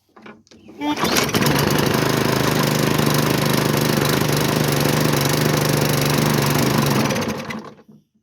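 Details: Hyper Tough push mower with Briggs & Stratton engine, found roadside: catches on starting spray and runs several seconds at a steady buzz, then dies as the spray burns off; fuel delivery problem.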